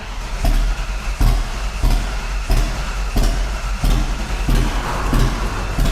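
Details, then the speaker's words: 1988 Ford Fox body drift car, first start after rewiring, in neutral: rough, lumpy running with heavy uneven chuffs like only half the cylinders firing; spark order being verified. "Cuz it sounds like we're only firing like half cylinders."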